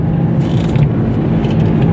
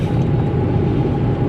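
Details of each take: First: Toyota Etios driven on a level highway at cruising speed: steady low humming drone under road noise, clearest when coasting in neutral downhill; worn wheel bearing, seeming to come from the front right side. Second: Toyota Etios after wheel bearing replacement, driving at speed on a level road: steady low road rumble with light tyre noise from worn tread and no bearing hum; the earlier humming, loudest at the front right, is gone.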